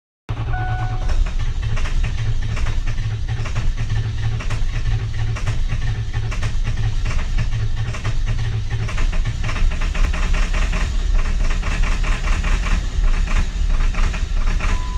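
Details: 2003 Ford 7.3 Powerstroke diesel, hard start: long, heavy, continuous churning for about fifteen seconds with no clean catch; extended cranking, slow to start.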